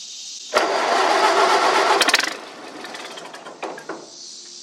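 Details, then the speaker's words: Massey Harris 30 tractor, sat six or seven months with carb run dry, choked cold start: fires and runs raggedly under two seconds then stumbles and dies; carburetor float bowl not yet full of fuel. "that's a good sign, but that means it doesn't have full fuel in the carburetor yet."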